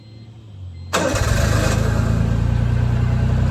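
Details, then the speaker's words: Roughly 30-year-old Honda Beat with a suspected bad bearing and a coolant smell, started cold: it catches and settles to a rough idle with a dull knock about four times a second, suspected bottom end. "however it sounds like bottom end you want to lay under it so we can see where it's coming from"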